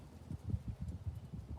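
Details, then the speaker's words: Picoscope on one channel monitoring tail light circuit current, tail light switched on and off to simulate entering the mask zone: quiet, then one short steady mid-pitched beep; mask alarm tripping as current crosses the limit. "okay you heard the alarm let's hope it won't do it this time because that's been my problem is trying to learn how to use this thing"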